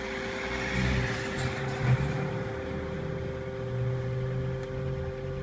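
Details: 2010 Iveco Daily IV 45C18 engine bay, with the camera close to the source after ignition off. A click, probably a relay, starts a steady low electrical hum that slowly fades; the workshop calls it normal, but it is new.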